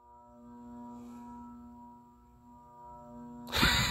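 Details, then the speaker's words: 2018 Banvil Enviro Breeze Gold Line 56-inch industrial ceiling fan with cast iron motor, on low via a Canarm solid-state control: loud steady fixed-pitch buzz over the slow quiet fan; a 3- or 4-speed control is needed; motor buzz from solid-state speed control. "I have it on the can arm solid state so it's gonna be very buzzy I need to get it on as three or four speed control see what I mean like like really listen to that buzzing sound it's really loud like really loud"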